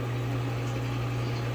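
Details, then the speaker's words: Old LG washer reassembled after replacing drum bearings (bearing kit) and rear spider part, previously loud screeching: running at extra high spin, steady even low hum with no screech or rumble; normal quiet high spin after repair. "running at extra high spin pretty quiet for the most part"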